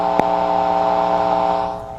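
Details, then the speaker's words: Carver C-19 amplifier on bench: steady hum with occasional sharp pops randomly in left and right channels, even with tubes removed, mimicking microphonic tubes; fault in the circuit, possibly lost ground or op amp chips rather than tubes. "you hear those little pops and they're randomly between the right and left channel so here's left channel"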